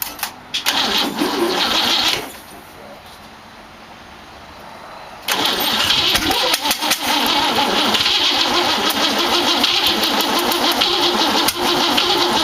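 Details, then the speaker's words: 1914 Dodge T-bucket roadster with a modified distributor: steady starter cranking at about three turns a second, engine never catches. Cause: firing order was wired clockwise (Ford habit), but the distributor rotates counterclockwise (Chevrolet rotation). "well bonehead mistake I put it firing order on here clockwise old Ford hangover visitor this turns counterclockwise"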